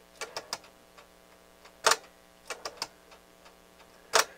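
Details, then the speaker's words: NAD 6155 cassette deck, low hours, in play: sharp clicks in small clusters every couple of seconds over a quiet motor hum, with the drive stalling at each click; owner suspects missing teeth on the gear meshing with the pulley. "this gear watch this gear kind of every time it makes that noise it kind of stalls i think is going on as there's a meshing gear on this pulley and i think it's some teeth missing on it"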